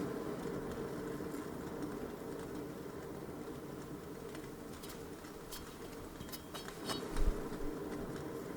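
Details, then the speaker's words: 2004 Toyota Corolla wheel hub turned slowly by hand with brake disc and pads removed: low, continuous rolling rumble with a slight wavering whoa-whoa pulse from a bad, damaged wheel bearing needing replacement. "Then I rotate that. We can hear this whoa, whoa, and this rolling sound. It is bad."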